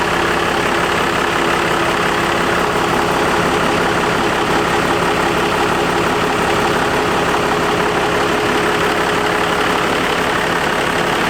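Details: Diesel truck at first start after installing a compound turbo system and doing the injectors: steady, even clatter at idle with no knocks, misses or surges; normal idle. One leak spot was found afterwards.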